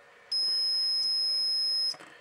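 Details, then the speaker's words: Samlex RPS-1204 power supply: the meter beeps steadily for about a second and a half on continuity across the protection diode on the output, showing it is shorted and apparently burnt out without an output short. "a short circuit so it looks like the protection diode i guess decided to cook itself for no particular reason other than to cook itself"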